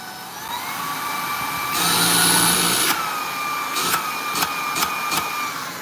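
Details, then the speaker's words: Vacuum cleaner with weak suction: strained, high steady motor whine rising as power trigger is pulled, light clicks; filter to be checked next. "Okay. Because sometime your suction is because your filter is messed up, right?"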